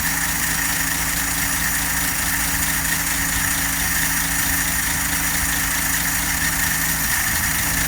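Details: 1954 Nash engine idling steadily with a fast, even tapping over the engine note throughout; persistent knock at idle, source not yet determined.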